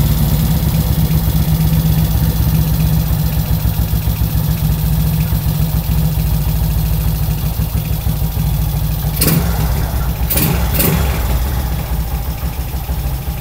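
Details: Kawasaki ZX130 single-cylinder after kick start, 28 mm carburettor: fairly steady idle with brief throttle blips, runs smoothly and catches cleanly.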